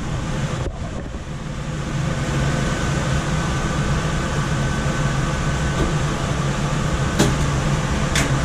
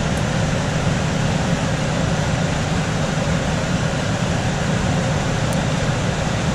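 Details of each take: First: Coleman DGAX056BDTA manufactured-home furnace, constant-torque ECM blower with 24-volt taps set to high: loud constant rushing air over steady low motor hum, no knocks or scraping when main blower runs; excessive blower noise from high speed tap, fix is lowering the speed. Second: Coleman DGAX056BDTA manufactured-home furnace, constant-torque ECM blower after 24-volt tap moved from high to a lower (yellow) setting: steady even rush of air with low hum, no rattle or surging; normal blower operation.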